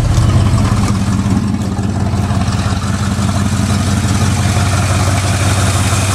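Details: 1969 Ford F100 short bed, believed 302 V8, C4 automatic, idling after start-up: deep, loud, rough idle with a raw unmuffled edge; exhaust leak, passenger-side pipe cut or rusted off, mufflers need replacing.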